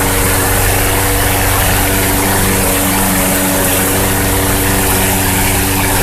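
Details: Troy-Bilt TB-210 21-inch front-wheel-drive push mower with swapped Yard Machines engine, new transmission drive belt and freshly sharpened blade, run indoors with a fan on: small single runs steady and even, no knocks or surging; healthy.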